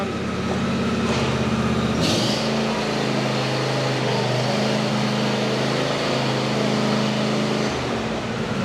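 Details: John Deere E120 riding mower after drive pulley and steering reassembly, deck off, test run: small engine steady, even hum with constant low drone, no slipping or squeal; sounds healthy.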